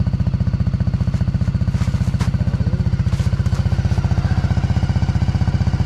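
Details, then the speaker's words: 1985 Honda ATC three-wheeler at purchase, running on choke: steady, even single-cylinder thump at about four beats a second with no misses or knocks. Nice and quiet, clean normal idle. "Nice and quiet. Good old Honda."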